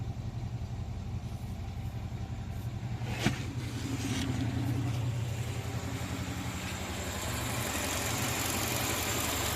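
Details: Moskvich 2140: steady idle with a loose, uneven tapping through the low rumble keeping pace with the engine; engine knock, source not yet pinned down.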